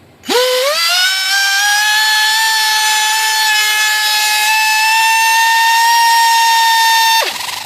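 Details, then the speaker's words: Horizon Hobby F-16 UMX with external ESC (3S upgrade mod), run on a 2S battery from a known-weak batch: high electric motor whine spools up, holds, then cuts off abruptly under throttle as the ESC shuts off mid-throttle. "Okay, so we'll just go ahead and run the throttle up. Oops, throttle cut."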